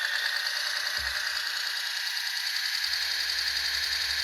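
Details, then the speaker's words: 3D-printed Frankenstein RC car differential with nylon gear against factory gear, 600 W motor, under throttle: loud, steady high-pitched gritty whir with no smooth tone; gears meshing roughly, likely poorly fitting printed gear. "It's running. Does not sound good."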